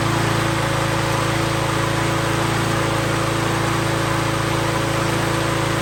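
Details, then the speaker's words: 2019 Toro Recycler mower after repair of several issues, with the emulsion tube believed to have caused rich running. It now holds a steady, even drone at speed with no misses, hunting or surging: normal running. "that's what I like to hear that's exactly what I want to hear"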